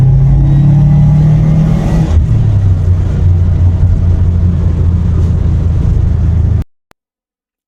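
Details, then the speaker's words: Subaru WRX after wheel bearing replacement: steady low road rumble with engine drone, no growl or hum rising with speed; wheel bearing healthy and quiet while driving. "There is no more noises, the car is fixed, everything is great now."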